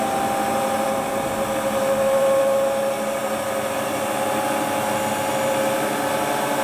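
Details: Hotpoint Ultima WT960 washing machine (7kg) test spin after repair with a brand new replacement drive belt; even, steady drum whir at speed, no thumping, squeal or slapping; smooth healthy spin cycle.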